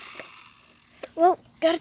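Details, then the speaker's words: RC car just repaired to drive faster: pressing throttle gives short rasping ratchet bursts with no motor pull, drivetrain slipping and grinding instead of driving; car left completely broken, cause not yet found. "oh god i'm pressing the gas but it's not doing nothing that ain't good oh god oh my god something's wrong with it"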